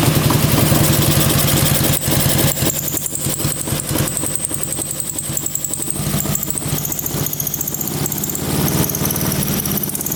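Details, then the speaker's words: Russian Dnepr military twin-cylinder motorcycle after 30 years in a barn: lumpy idle with a high thin squeak coming and going; owner suspects a bearing, worsening with time; cause unconfirmed; valve cover also leaking oil. "oo I think that's a bearing it is not a good squeak it gets worse with time not great"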